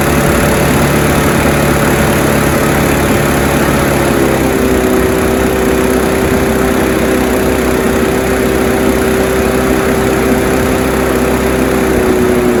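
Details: Honda HR173 mower after carb clean and service, started on choke to run the carburetor dry before storage: steady, even single-cylinder idle with a slight pitch drop around four seconds, no knocks; healthy.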